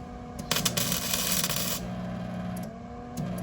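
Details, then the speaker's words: Flux-core MIG welding by a first-time learner: short crackling arc bursts that keep cutting out instead of a steady sizzle, wire sticking to the work because the gun tip is held too close; fix is backing off for a small gap. "All right, unstick it. You got too close and you stuck it, okay?"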